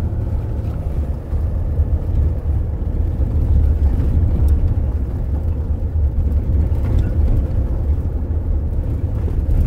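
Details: Toyota Hilux/SW4 (2005–2015) driving after repair of brake pedal play, steady low engine and road rumble with no knocking or clunking from under the front of the cab; brake pedal knock gone.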